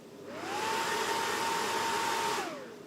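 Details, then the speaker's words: Ballu heat curtain after repair, fan shaft had slipped and squeaked, shaft roughened and glued back into its rubber coupling: fan whooshes up with a steady hum, runs evenly, winds down, no squeak. "Проверяем вентилятор, который у нас скрипел. Вот это уже нормальный звук лопастей."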